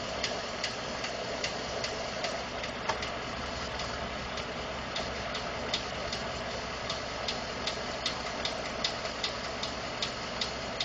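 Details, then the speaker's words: 2012 Ford F150 5.0 V8 already warmed up, idling with light fast uneven ticking about two or three a second; owner was told it may be normal noise from injectors, fuel pump or engine tolerance; cause unconfirmed. "Gonna start the truck. It's been running a little while. Gonna hear the ticking"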